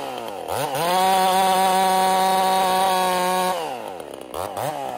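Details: Ported Husqvarna 55 chainsaw: climbs to a steady high scream in the cut, then sags; lost over 1,000 RPM in about half a tank, new coil didn't help, couldn't finish two cookies; power loss.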